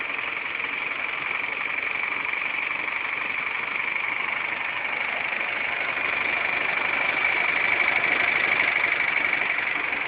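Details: Engine idling steadily with a fast, light knock tapping about three times a second on top; engine knock, cause not yet pinned down.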